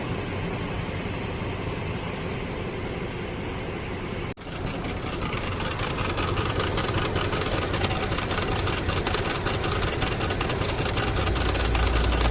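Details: Infiniti QX56 under the hood: sharp metallic knocking over the idle, two or three hits a second; replacing the power-steering pump did not stop it; worn belt tensioner rattle.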